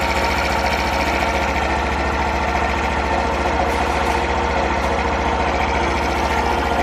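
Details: Super Cub 50 FI (AA04-3202) parts bike, recall work done, start-up check: small single putters at a steady, even idle of roughly three and a half beats a second, no knocks or rattles; normal idle, no abnormal engine noise.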